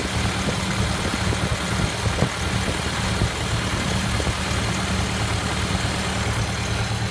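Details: 1928 Ford Model A Tudor sedan with old reproduction muffler, not fully warm, some throttle then idle: low, lumpy, slightly rough rumble with faint puffing ticks at each firing.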